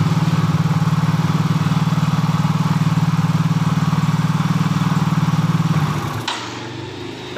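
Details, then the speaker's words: Yamaha Soul GT fuel-injected scooter after the injector, which had stopped spraying from a lost injector signal, was traced and temporarily rewired: starts immediately and holds a steady, even low putter at idle for about six seconds, then shuts off cleanly; normal idle. "sekarang kita nyalakan langsung nyala ya Broto motornya"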